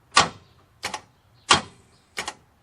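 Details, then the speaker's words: Parts car with 179 (thousand) miles, mic placed underneath: single heavy clunks about every two-thirds of a second with lighter double clicks and no cranking; starter cannot turn the seized engine. "The motor is froze. If y'all didn't hear that, I'll put my mic up under here so y'all can hear it."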